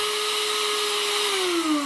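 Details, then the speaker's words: Electric grinder finishing turmeric powder. A clean, steady high whine grows stronger with no chunks rattling, showing it is finely ground; then the pitch falls away as it is switched off. "อ่าเริ่มแรงแล้วเริ่มแรงเลยแสดงว่าละเอียดลละเอียดแล้วนะครับ"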